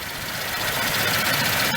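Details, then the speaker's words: Truck at steady idle after fitting a DIY oil catch can with a Harbor Freight inline air filter: continuous hissing suck of air as vacuum pulls the catch-can hose until it collapses; a tube inside the hose is needed. "Okay, I turned it on, and you hear that noise? Look at this, it's collapsed."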